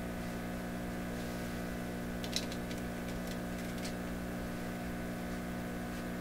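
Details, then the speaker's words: Pye 39HC tube shortwave receiver with old tubes and a plug-in loop antenna, baseline before any tube replacement: constant low hum with buzzy overtones and no station audible; loud mains hum swamps the weak reception. "Not hearing any station, but now I got to rotate the antenna as best I can. just a big whopping hum. That's not helping."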